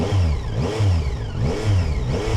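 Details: 2025 Yamaha Tracer 9 GT with Y-AMT, just started, in neutral: four quick crisp revs about a second apart, rising and dropping cleanly back to idle; engine revs freely and sounds healthy.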